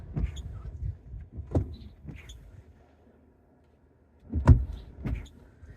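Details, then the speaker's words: Ford Maverick wipers sweeping dry glass with sharp pops and thumps as the hard, brittle passenger-side blade skips and bounces over the windshield curve; blades to be replaced. "And so, it's this wiper here, the passenger side wiper that is hard and brittle. And so, what it's doing is as the screen curve, the windshield curves, it's basically popping."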